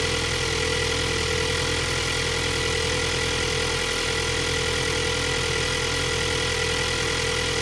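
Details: 2022 Ford Bronco 2.3 liter turbo four idling steadily with a fast light ticking and a thin whine on top; abnormal engine noise, source unclear.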